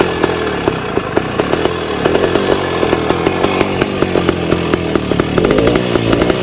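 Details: 1966 Bultaco Lobito high-compression two-stroke motorcycle, started after annual storage: crackly ring-ding with sharp even pops on throttle blips, picks up cleanly; normal running. Gearbox jumps out of second gear.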